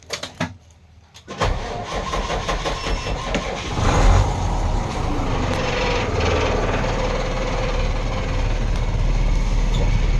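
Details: Vehicle in original condition with a newly replaced battery and half a tank of fuel: the starter cranks briefly and the engine catches quickly. It settles into a smooth, steady idle with no knocks or ticks; normal start and idle.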